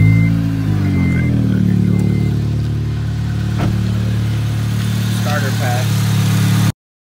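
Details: Acura RSX showing a P2500 code on a Zus Nonda monitor; the battery passed and the alternator tested at about 14 volts. A low, steady idle hum that settles after a brief rev, with no knocks, misses or whine. The engine idles normally.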